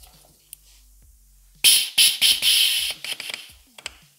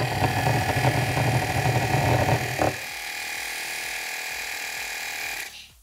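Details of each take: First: BMW F-series air suspension compressor repaired, bench-tested on 12 V battery: once under pressure, the discharge valve is released with a sharp one-second hiss of escaping air, then light clicks. Normal, clean pressure release. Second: BMW F-series air suspension compressor bench-tested with motor powered directly from a 12 V battery: quiet motor hum, then a steady hiss of escaping air continues; discharge valve suspected stuck open.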